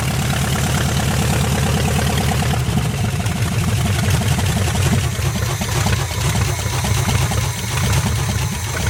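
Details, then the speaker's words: 1973 GMC square body, small-block Chevy marked 350, first start after parked since 2001: steady even V8 idle with smooth low burble, no knocks or misses, plenty of oil pressure; sounds healthy. "it's got a lot of oil pressure so it's probably a good running engine"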